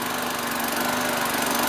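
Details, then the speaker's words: Vintage small engine, hard to prime, fresh gas added, warming up: runs fast and fairly steady with a slightly thin, hunting note; still a little lean, owner notes water in the tank and plans a tweak. "Oh, it's still a little lean. Warm up. Warm up. Now it's start. It's a little lean."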